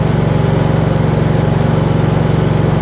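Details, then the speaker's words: Gravely 432 after stator plug repair with soldered Packard 56 connectors, in neutral, choke on, battery pack attached: even, fast firing beat, about four pulses a second, no misses or knocks; charging confirmed at up to 14.7 volts, normal running. "It's working. That's awesome. Yep. We got charging."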